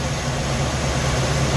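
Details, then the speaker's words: Suzy at idle with the ignition timing way over-advanced (checked with a timing light, originally set by ear): a lumpy, uneven low idle with a loping beat. Later resetting it to about 10 degrees made the idle smoother. "but check out where the timing is it's way advanced granted i did do this by ear"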